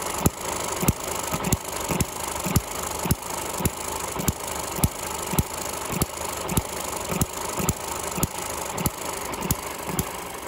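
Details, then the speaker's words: Eachine ET6 hit-and-miss model engine after O-ring water leak fix and slackening head bolt pinching exhaust rocker shaft: sharp firing pops about two a second with quiet coasting gaps; governor latch engaging, normal running. "which should mean that it misses more often in theory anyway so we're going to fire it up now and just see what she runs like see the governor's working much better"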